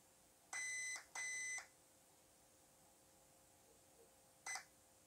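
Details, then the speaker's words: WLToys 144001 RC car ESC programmed without a program card by holding the reset button: high electronic beeps counting program items up to three, low-voltage cutoff, where the button is released. "one beep two beeps three beeps so then i let go of the button then once you let go of the button it will start beeping and telling you what the current setting is"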